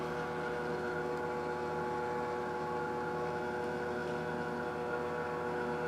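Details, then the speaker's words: Telescope mount stepper motor after adding a gear reducer, fully horizontal with more weight than before: steady, even whine with layered tones and no clicks; previously it skipped from too much torque, now moves and holds smoothly. "all right we're completely horizontal with even more weight than we had before and the stepper can move it and hold it no problems whatsoever"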